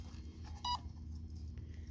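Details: Durafly DH 100 Vampire RC jet with ZOP 3300mAh 4S 60C lipo after a crash: short sharp high beep bursts over low rumble and handling noise, the lipo low-voltage alarm sounding after the pack came loose.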